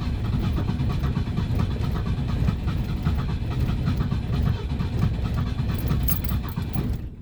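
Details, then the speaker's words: Classic Ford at -30 degrees, key sticking from cold: labored rough starter cranking that never catches; turns over but won't fire. "Oh, she wants to so bad. I don't know if she's going to go, though, to be honest."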